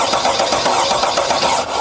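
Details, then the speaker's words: 2017 Freightliner Sprinter 3.0 L diesel, which shakes, misfires and loses power despite two replaced injectors, cranking on a compression gauge at the glow plug hole; lopsided beat, cylinder one has no compression. "so no compression on cylinder number one just like we predicted based on the data that we saw on the uh lab scope screen so cylinder one has no compression"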